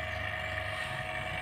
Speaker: terkadang kalau memang masih bocor vakum ini suaranya beda lagi ada Suara Kok suara kotor lagi tapi tapi kali ini tidak